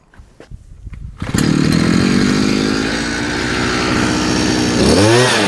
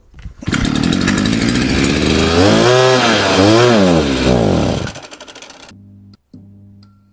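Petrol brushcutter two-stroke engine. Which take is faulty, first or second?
second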